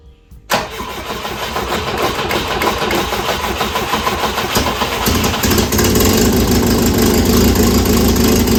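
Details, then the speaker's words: 1967 Volvo Amazon (122) abandoned 35 years, revived and just fitted with new motor mounts, on jack stands: starter whirs, engine fires and holds a smooth, even idle; runs nice and smooth, though an exhaust leak remains. "i can't believe how good that thing runs nice and smooth"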